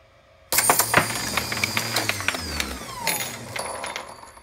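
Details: AmpFlow A28-400-F48 fan-cooled 48 V motor, first test on two 8S lithium packs at 54.1 V, clamped down: bangs into life with metallic clatter and pinging parts, then whine falls away; the attached torque limiter (clutch) unscrewed and came apart.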